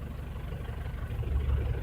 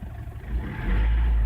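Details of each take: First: 2009 Ford Everest 2.5L common-rail diesel at idle, scan-tool cut-out test on injector number four: low rumble turns slightly uneven and lumpy as the cylinder drops; misfire shows all four injectors contribute equally. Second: 2009 Ford Everest 2.5L common-rail diesel with low power complaint, after injector service, no fault codes: picks up cleanly when the throttle is blipped, a deep even rise with no knock or misfire; fuel pressure judged okay.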